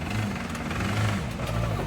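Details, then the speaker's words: BMW 335i at idle, sold as having rod knock: low uneven knocking over engine rumble mistaken for rod knock; actually a broken AC compressor pulley smacking, engine fine after fix. "what was it the ac compressor pulley broke that's what was knocking it was just smacking whatever"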